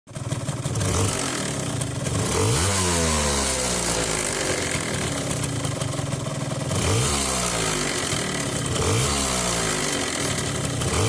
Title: Runner 180 weird noise on new engine